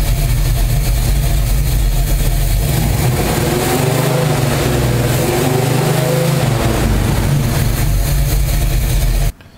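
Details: Car with newly fitted Summit replacement distributor (old mechanical advance seized), base timing about 11 degrees, revved to check total advance with timing gun at 32: loud steady roar about nine seconds, smooth, no misses or knocks.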